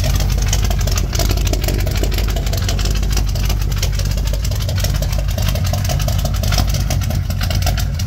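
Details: 1987 Chevrolet K10 squarebody 4x4 at steady warm-up idle on first start after blown head gasket repair; strong, low, even rumble, no knocks or misses. Normal idle.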